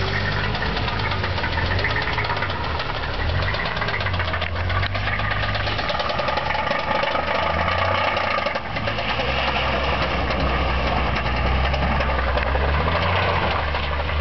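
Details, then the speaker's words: Ford Thunderbird 3.8 at idle: deep, regular knock keeping time with the engine; bad rod bearing, rod knock. "This is the Thunderbird with the rod knock."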